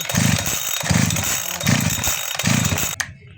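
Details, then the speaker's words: Chainsaw that previously died when given throttle, now after carburetor replaced with a new one: four quick crisp blips to full throttle, each picking up cleanly without bogging or dying, then shut off; runs healthy. "इसका अभी हम start करते हैं, check करते हैं race पूरे लेते हैं या नहीं लेते हैं।"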